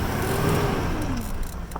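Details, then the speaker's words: Truck with a slipping transmission, tested after adding Instant Shudder Fix: gunned in reverse, the engine flares high while the truck barely pulls and still hesitates; drive is fine. "still got hesitation maybe it's got to work in a little bit let's try it again here gun it still still not there"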